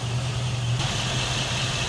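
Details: Stock 1979 Ford Thunderbird, 302 5-liter V8, about 40,000 miles, idling: steady, even low rumble with no knocks, misses or whine; smooth, healthy normal idle.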